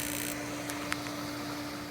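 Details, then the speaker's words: Raypak (Rheem) swimming pool heater after a burner and jet service: a steady low electrical buzz over faint hiss as the igniter sparks while air purges through the small pilot hole. This is normal and can take three to four minutes before firing. "t time you can hear the buzzing that's the igniter trying to spark it might take a while because from taking that apart there's a lot of air in that there's a small pilot hole and it has to get all the air out before it'll fire"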